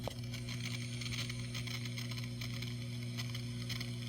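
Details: Constant low hum with faint hiss on top, unchanging throughout: ground-loop buzz from a daisy-chained One Spot pedalboard supply, which the isolated Caline CP-08 outputs eliminate.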